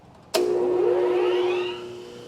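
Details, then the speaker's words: Baldor 12-inch pedestal grinder, which shook on the floor at startup because a foot barely touched and the wheels aren't perfectly true on the OD, now on three points with the front on wood: sharp switch-on, steady hum rising smoothly to speed, no rattle. "So we've got the front just sitting on that piece of wood there, and we'll fire it up again so you can see what I'm talking about. It's nice and smooth"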